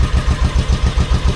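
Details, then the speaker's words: V-twin motorcycle sat about a year with old fuel, pod filters, dirty carbs, full choke: lumpy uneven low thump about six beats a second with gaps; running on rear cylinder only, front cylinder stone cold. "Full choke. Same thing. It sounds like it's running on one cylinder."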